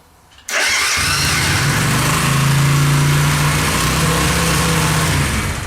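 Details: Suzuki Intruder 125 that cranked but wouldn't start, fixed by adding a relay: starter catches right away, engine fires to a smooth steady idle; normal start.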